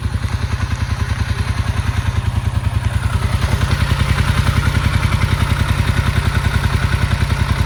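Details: Unit starts hard unless throttle assists; once running it idles hard like it's about to die until given throttle for a few seconds, then idles at spec: deep, lumpy, uneven thumping idle; rough idle.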